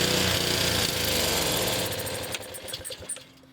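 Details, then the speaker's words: Honda HS520 snowblower, 4-stroke, also hard to start after being tipped back up: runs briefly, coughs, sags to near-dead idle, then picks up again; fuel starvation surging. "Classic classic fuel starvation. It runs for a little bit, then it coughs, goes down to low idle, almost dead, then comes back up when it gets a few more dribbles of fuel."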